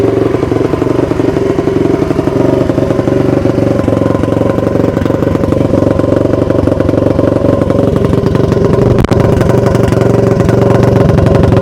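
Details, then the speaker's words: 2002 Honda CRF450R after repair, idling: steady even single-cylinder idle, loud raw exhaust bark, no knocks or misfires; running healthy. "Actually, I'm going to start it up for you guys real quick. This thing is super loud and it starts up pretty good. Usually like one or two kicks."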